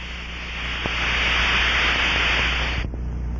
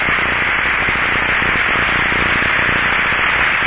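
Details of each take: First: Aircraft fuel cell drained and pressurized with air or nitrogen to 2–5 PSI, heard through an Ultraprobe 2000 ultrasound detector: steady rushing hiss for nearly three seconds, then cuts off; air escaping through a leak hole. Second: Bearing heard through an Ultraprobe 2000 ultrasound detector: steady, smooth, even rushing hiss with no crackle or roughness; a good bearing, whereas crackling would indicate failure and loud rough rushing a lack of lubrication.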